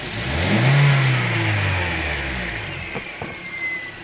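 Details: Toyota Corolla E15 with 240,000 km, after fixing the part that sometimes failed to hold: one smooth throttle blip dies back to idle with no rattle or slap from the chain end; healthy.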